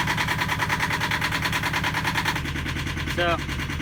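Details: Yanmar diesel in a sailboat, started after the fuel was bled with an inline hand primer pump: a steady, even diesel knock of about three beats a second with no stumbling; it has caught and is running smoothly.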